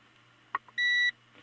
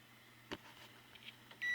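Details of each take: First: 1890s GE antique fan motor (No 337738), continuity test across head wire through coil and armature: short single beep only as armature turns; intermittent contact at the ruined brush/armature contact assembly. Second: 1890s GE antique fan motor and speed control, No. 337738, being diagnosed: multimeter on continuity across the line cord gives a steady high beep; the cord conducts, good circuit.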